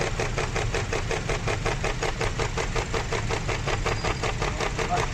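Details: Petrol engine with a very heavy misfire at idle, the engine cover's nut removed so it rattles and thumps about three times a second; cylinders are then checked one by one by unplugging coils.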